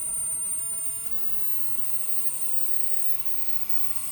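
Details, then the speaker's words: Ozone Water Systems dielectric cell on test box, known-good cell: steady even hiss with thin whistle, no arcing, stable frequency dropping to about 7,600 Hz at full power around 420 watts; normal healthy cell. "can hear the hissing sound you hear that from the cell sounds normal turn it up"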